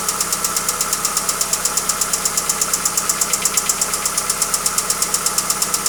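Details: Hyundai Accent engine at steady idle with a sharp, even knock about three per second; engine knock of unknown cause.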